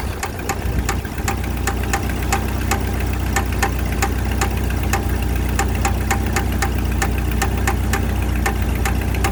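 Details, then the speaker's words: 1995 Jeep Wrangler YJ idling with a crisp, fairly regular tick about four per second over a low rumble. Oil pressure and level fine, plugs and wires checked; owner suspects an exhaust leak rather than rod knock. Unconfirmed. "hi everybody I have a 95 Jeep Wrangler I'm currently dealing with what I think is possibly an exhaust leak I originally thought it was a rod knocking but my oil pressure is fine my oil level is fine"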